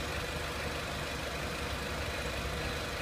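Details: 2003 Renault Clio 1.6 petrol, intermittent stalling traced to loose crank sensor connector (sensor good), crank sensor scope reading good; steady even idle, smooth low hum, no misses, knocks or rough patches; normal idle.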